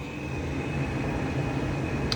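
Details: Bathroom exhaust fan, 110 CFM rated 0.9 sones, grease and oil found around the motor: steady loud rumbling hum with a thin high whine, unchanging; far louder than it should be, owner suspects bad motor bearings, unconfirmed.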